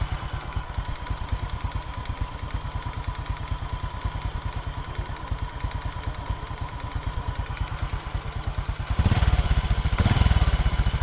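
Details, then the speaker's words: Small motorcycle engine from Đồng Tháp idling with a loose, hollow clattering knock on every beat, louder on a throttle blip; the engine was worked on before but keeps knocking, and the mechanic will open it to check for something left inside. "Xe này thì cái ban máy hiện tại em nghe thử tiếng máy, em có test thử rồi thì cái ban máy này cũng kêu nghe em kêu lọc cọc trống á."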